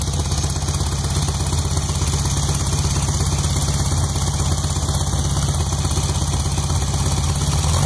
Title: Startup after rebuild 1641cc -pop noise/knock nois